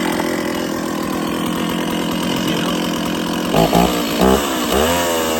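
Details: Stihl 024 chainsaw after a cobbled aftermarket air filter and carb tuning, restarted cold without choke after sitting 1.5 hours, freshly fueled: steady even two-stroke buzz with quick throttle blips, sounds good up high, not missing much.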